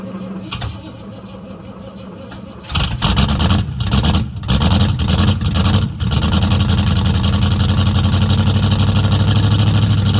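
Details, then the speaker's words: 1969 Mustang V8, running after sitting 15 years: stumbles on start, then settles into an uneven, loping idle with a skipping beat from a definite misfire; owner thinks new plugs and plug wires will fix it. "does have a definite mess I think some new plugs and plug wires will fix that"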